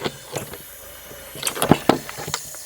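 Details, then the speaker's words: Cylinder leak-down test, heard at the intake port with the intake manifold removed: a steady thin hiss of air rushing out; leaking intake valve. "You can definitely hear it hissing through there. Put your hand to it, you can actually just feel the air just rushing out."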